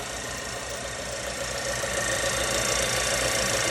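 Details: 2013 Nissan Juke 1.6 L turbocharged petrol engine, warm at idle with hood open: light, quick metallic rattle, the customer's timing noise complaint from the timing chain.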